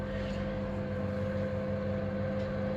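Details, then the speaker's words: Saxon wood heater blower fan after fine dust was blown out of the motor and bearings (bushing lube recommended): even, steady hum with no rattle or scraping. Runs quietly and smoothly; normal. "after a few minutes when it's been running it should um be nice and quiet and smooth"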